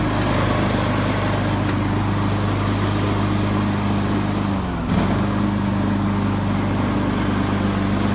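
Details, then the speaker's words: Craftsman YS4500 lawn tractor, 20hp Briggs & Stratton Intek OHV engine, after replacing a head gasket that failed beside the pushrod chamber and a tune-up with new oil, oil filter and fuel filter. It runs with a steady single-cylinder drone and a brief dip in speed that recovers smoothly; the oil burning appears fixed. "I got the new head gasket installed and it seems to have fixed the oil burning issue so I'm pretty happy about that"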